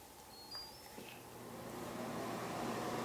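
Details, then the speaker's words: New shop air filtration unit, switched on in auto mode on low speed: it spins up from quiet into a steady low hum with a growing smooth rush of air, blowing downward; healthy. "you can hear that I'm sure and it's blowing air out here which is nice and uh blowing it kind of downward"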